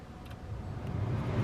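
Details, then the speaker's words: Car blower fan after removing debris that caused noise at higher speeds: smooth, quiet airflow rumble rising to full speed with no rattling. "ya how quiet it is no more noise and that's a full French speed now"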